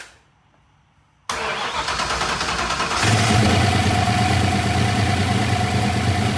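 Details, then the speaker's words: Engine with replaced lifters, cam and longer pushrods, first startup on Terminator X with unknown timing: brief crank, catches, settles into steady even idle, timing reads 20; no knocks or misses, running fine. "Car's running fine."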